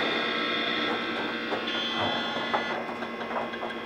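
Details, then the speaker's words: DEC VAXstation 2000 hard drive during the power-on self-test: a high steady whine with irregular clicking and scratching seeks. Failing hard drive. "okay so it looks like this one's got a faulty hard drive in it i'll have to see if i can do something about that"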